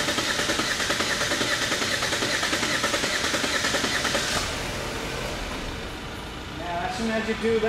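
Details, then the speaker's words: 2017/2018 Holden Astra four-cylinder with idle misfire (P0300), shaking at idle and clearing when revved, relative compression test cranking with accelerator floored: about two and a half uneven, lopsided beats a second; one cylinder at one percent. Low compression in one cylinder. "can see that one cylinder is at one percent only three cylinders is working so this one cylinder has lost this compression"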